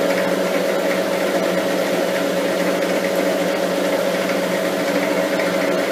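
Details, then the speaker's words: Lathe taking light cuts during taper turning on a lapping arbor: a steady mid-pitched ringing hum rises over the running noise as the tool starts to chatter. "We'll just slow the lathe down a tad. Starting to get, you can just hear it start to chatter a little bit."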